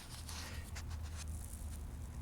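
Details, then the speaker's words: 1970 Panasonic SG-999 Matsushita FA-707A turntable motor, previously seized by burnt oil on oilite bearings, after cleaning, tested cold: steady low hum, no rumble or scraping; plenty of torque, smooth, doesn't get hot. "there she goes has plenty of torque smooth doesn't get hot"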